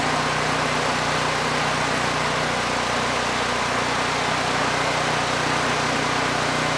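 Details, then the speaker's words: Generac GP6500E generator, previously seized engine, after repair and carb check, started first pull indoors: small engine holds a steady, even drone with no misses, surges or knocks, running cleanly under no load; carb running it well. "First pull, every time. Can't really argue with that. And the carb, it's running it quite well."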